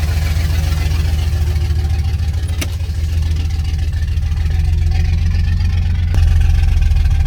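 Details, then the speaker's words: 1989 turbo Fox Body Mustang, cold, after a Melling high-volume oil pump install: a lumpy, uneven idle suggesting a misfire. Oil pressure is down to about 30 before it has even warmed up; the cause is unconfirmed. "so i might have something wrong with the motor i don't know it sounds awful strange though right now feels like it's missing"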